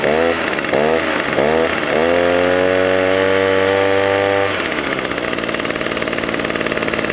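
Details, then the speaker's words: Echo PB 200 two-stroke leaf blower found at roadside, first run after WD-40: blips then steady high buzz a touch short of full revs; owner suspects dirty air filter, primer bulb and fuel line worn. "it sounds like maybe it could rev a little bit higher maybe that air filter is dirty"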